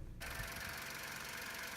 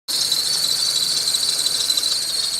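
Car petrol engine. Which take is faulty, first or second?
second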